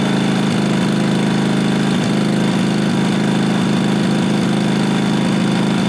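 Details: 1998 Briggs & Stratton Vanguard 16HP horizontal-shaft V-twin (model 303447) after fitting a working used fuel pump; steady, even thumping run at constant speed, no misses or knocks, running smoothly on its own. Normal running.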